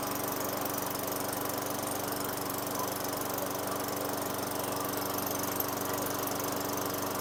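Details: 2003 Craftsman mower, Tecumseh 4.5 hp 148cc engine with new correct carburetor, after raising idle via governor tab and throttle set screw: steady, even hum at slightly raised idle, no surging or hunting; running right.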